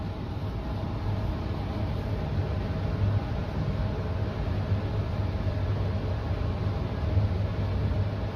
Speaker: You know what? I might just stay here for a little bit cuz it seems like it's struggling.